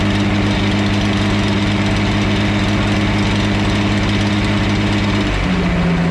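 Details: 1991 Four Winns OMC 4.3L boat engine idling on the flush hose: steady, even low idle with a smooth firing beat and no knock or miss. Oil pressure is great and the alternator is working.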